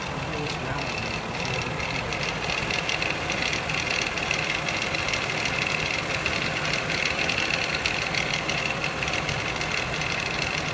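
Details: 2006 Mazda 6S V6, 136,800 miles, fast uneven metallic front timing chain rattle at warm idle under 1,500 rpm, after valve cover and timing cover gasket replacement; owner suspects belt tensioner.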